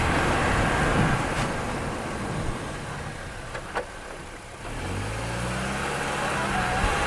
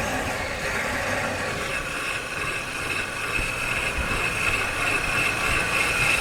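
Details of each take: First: Car after brake repair, microphone mounted, driven through a stop: steady road and tyre rumble with no squeal, scrape or grinding. The brake noise is fixed. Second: Car driven with a microphone mounted: harsh, rough grinding with a thin metallic squeal over road noise while braking. Brake pads probably worn to metal, damaging the disc.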